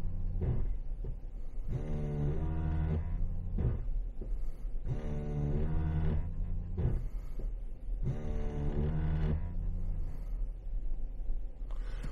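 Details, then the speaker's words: ABS pump motor cycling on and off in roughly 1.5-second bursts during a scan-tool-commanded standard automated brake bleed on a GM truck without stability enhancement, rear drums; normal pump operation. "so we'll go to standard automated bleed okay stop vehicle okay yeah yep yep hopefully you can hear it running in the background"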